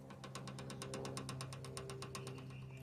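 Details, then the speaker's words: Renault Sandero, tie rod end removed and rocked laterally: rapid even metallic clicking about eight a second from lateral play despite no wheel play or alignment issue; fix is a new tie rod end. "Será que o barulho tá aqui então a solução é sempre a desmontagem é o melhor diagnóstico solução terminal de direção novo e fim de papo"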